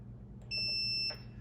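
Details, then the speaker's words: Multimeter continuity test on a Campbell Hausfeld 2-gallon oilless air compressor's power switch after shaking sawdust out: no beep when off, single clean high beep when on; switch closes the circuit and works. "so let's test it out on the meter and see what happens we'll start with it off so no beep when it's off which is as expected turn it on"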